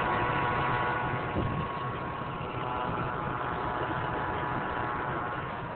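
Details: 1999 Mercury Mountaineer V8 idling evenly with a constant thin whine from the front of the engine; replacing the serpentine belt did not change the noise, and the cause is unknown.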